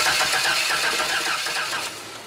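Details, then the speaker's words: 2005 Chevy Astro van with a no-start in rain and high humidity. A new coil was fitted, grounded and the distributor cap cleaned, and the battery was put on charge. Starter churns with uneven puffs as if trying to fire, but it never catches. Crank, no start. "Alright, so 2005 Chevy Astro van, no start, high humidity, lots of rainy weather. Common problem with these frickin' vans."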